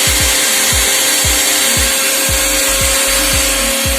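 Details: Mixer grinder after repair (burning smell and flapping noise before; wires rejoined): high-speed whir with steady hum and airy rush, no flapping or rubbing; motor running normally.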